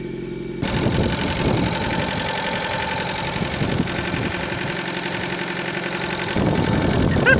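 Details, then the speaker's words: Fiat Panda 100HP with swapped Bravo 1.4 T-Jet turbo engine, first start without coolant lines: uneven, loping idle with a stumbling beat around four per second; sounds like running on two cylinders, cause unconfirmed. "It sounds like it's running on 2 cylinders. I'm gonna try and give it some gas."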